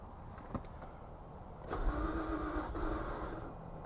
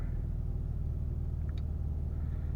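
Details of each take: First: 2004 Infiniti G35, 150,000 miles, codes P0340, P0335, P0345, P0430: starter turns engine about a second without catching; cranks then dies, fuel pump first suspected, faulty bank 1 camshaft position sensor found. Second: 2004 Infiniti G35 after crank-no-start with codes P0430, P0335, P0345, fixed by replacing the faulty bank 1 camshaft sensor: steady, even low rumble with no knocks, misses or stumbles; engine idles smoothly and sounds healthy.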